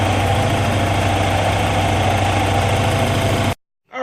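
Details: Porsche 944 after no-start fix following power loss at 5,500 rpm: steady, even idle with a smooth low thrum, no misses, knocks or stumbles; running normally.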